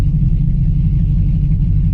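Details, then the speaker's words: Cammed Chevy Silverado pushrod V8 with stall converter installed, idling in Drive; deep, loping, choppy rumble that keeps its cammed sound in gear, healthy. "it'll continue to sound like it is actually cammed which that was a big deal for me because the truck isn't like fast or anything"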